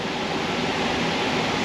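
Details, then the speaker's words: 2006 Dodge Charger 5.7 during an A/C recharge at idle: the compressor engages once enough refrigerant is in, with a steady even whoosh and hum, no knock or squeal, and low-side pressure rising toward the 40–50 psi target. Running normally. "yep we're coming to life now pressure's coming up 0.25 pounds installed"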